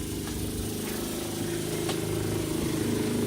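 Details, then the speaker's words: Camper van water tank pump, now out of the box that used to cover it: continuous buzzing motor drone with a slight pulsing rattle, louder than before; it works but gives not much pressure; cause of the noise not pinned down. "If, like, when that was all covered up, it wasn't that loud, but because I've removed, it was in a box like that, now it's a little louder. But it does work."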